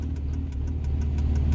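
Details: Diesel truck with an injector stuck open, driven without an intake, at a low idle: a sharp tick about six times a second over an uneven pulse. It misses and pops on light throttle, then clears when accelerating; a rough idle.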